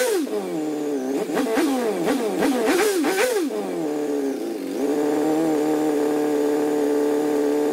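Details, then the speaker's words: MG ZR petrol engine with a long-standing starting problem (sensors changed, timing checked OK, no ECU light or codes) cranks several times, catching and faltering, then idles somewhat unevenly; hard starting and rough running, cause unknown, spark and fuel to be checked. "as you can see it's a nightmare to start it doesn't run very nice so something's untoward"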